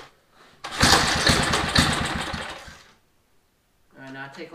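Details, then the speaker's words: Small engine, carburetor just refitted with new gasket, choke on: a couple of seconds of uneven pops, then dies to silence; fires but won't stay running, carburetor removed again. "fired a few times but I wouldn't run so I got the carburetor back off of it"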